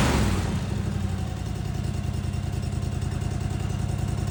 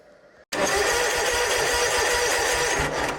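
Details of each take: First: Snapper zero-turn mower after basic rewiring bypassing safety switches, running without air filter: steady, even beat, no misses or knocks, may idle low or hunt slightly from extra airflow; running smoothly until shut off. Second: Snapper zero-turn mower, wired basic with safety circuits removed and 30-amp inline fuses to PTO and key switch: starter whirs sluggishly and loudly with dragging crank pulses even with proper wiring; worn starter needs replacing.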